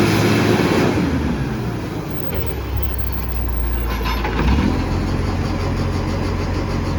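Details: Garbage truck SL01400 in Mandurah, diesel running: loud, raspy, low roar far louder than a sealed exhaust; suspected massive exhaust leak.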